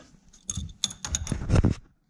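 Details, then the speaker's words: Fox body Mustang with Flaming River steering rack: sharp metallic clicks in short bursts as the input shaft is rocked by hand on its flat spot, coming from the hub bearing where the column shaft enters. "yeah you can hear it clicking right there I'm just moving it back and forth like you know on this flat spot here on the shaft"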